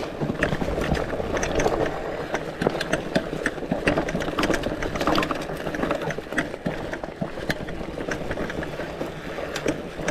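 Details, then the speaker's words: Lectric XPeak 2.0 e-bike on a mountain bike trail ride in PAS 1–2 and gears 1–2: rapid, irregular metallic clicking and rattling over trail rumble, sharper on bumps. Loose thru-axle rattling in its hole; the wheel stays on. "You can really hear that rattling because the it has a straight through axle. There was no uh issue with the axle with the wheel coming off the bike. It's just loose and and shaky and just rattling within the within the hole."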